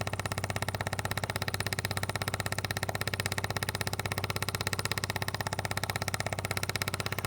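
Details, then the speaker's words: Maxpeedingrods external-tank fuel pump feeding a portable generator, microphone very close: fast, light, even ticking while pumping fuel; normal operation, quiet at arm's length. "It's not very loud at all in real life. I don't know what it sounds like on video, but it's just a light ticking noise in the background is all I hear at, you know, arms length."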